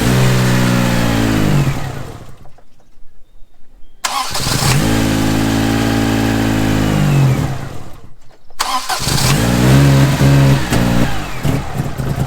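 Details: 1987 Daihatsu Charade GTTI three-cylinder turbo hatch, sat unused for 10 years, cranks, catches and settles to a steady idle, then revs cleanly up and back down twice; engine running properly again.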